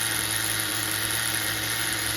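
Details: HPI MT2 nitro RC engine after carburetor tuning (bottom leaned, top richened), idling with a steady, even high buzzing whine, now believed single-stage though still somewhat rich.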